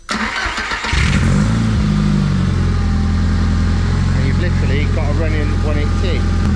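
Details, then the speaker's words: 13B rotary engine for an RX7, with a labelled wiring loom. Ignition powered on with the throttle body audible, then a brief crank; it catches and settles into a steady, smooth idle, healthy. "So that is power on. You can hear the throttle body."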